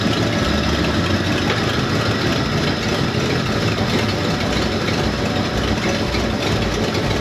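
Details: 1970 Ford Torino GT, 351 Cleveland V8, first start after revival: steady even rumble, deep low beat, no knocks or misses; runs smoothly.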